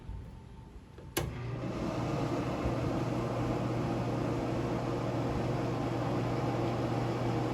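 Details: Pit Boss FB700 pellet grill found curbside, auger cleared of swollen-pellet jam and reassembled, then plugged in: faint click, then steady low fan hum with even auger motor drone and no rattle; running normally and later lit pellets successfully.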